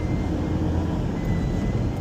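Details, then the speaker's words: Ford Ranger diesel: thin steady high whistle over the rumble when coming off boost, like air let out of a balloon, from the left side near the intake; boost leak at an intercooler pipe, fixed by replacing the pipe. "It sounds like somebody has a balloon and they're letting like a little bit of air come out of the balloon. Maybe an intercooler pipe or something over this side near the intake."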